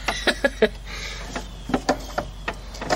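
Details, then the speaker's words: 1969 VW Type 3 Fastback, pedal falls to floor, no rear hydraulic brakes (front only, e-brake works): short wet spurts with each pedal press as brake fluid squirts from a leak onto the floor. "a matter of fact, you hear that? I hear the fluid coming out. Yeah, it's squirting on the floor."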